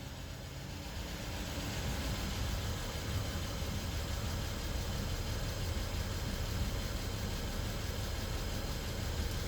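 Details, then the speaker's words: BMW 640 with N55 engine on first start after engine swap, some smoke from oil in the engine bay; steady even low rumble with no knocks or misses; normal idle. "tycker det låter bra, walla."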